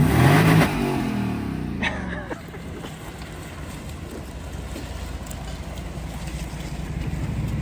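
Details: 1998 Lexus LS400 revved to redline after new MAF sensor and new battery: clean sharp rev to the top then smooth even fall back, no misses or stumbles; normal revving.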